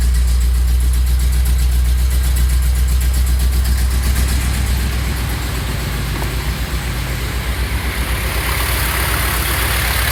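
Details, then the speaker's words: 1973 Chevy C60 fuel truck, 366 gas V8 with Holley EFI, cold weather, block heater, fouled plugs: after leaning out the choke setting it idles evenly with a steady burble, no longer missing, smoother. "You can hear it's not really missing anymore, and yeah, it just sounds a lot smoother, a lot happier."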